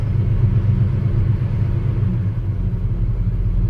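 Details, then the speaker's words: 1985 NZ-new Chevy Square Body Custom Deluxe V8, formerly LPG, off the road for years, first start on jump leads, not yet warm: low rumble that wavers and stumbles near tickover; runs rough at lower revs. "I'd love to think this will run to tick over again but uh may not see it runs rough runs rough at lower"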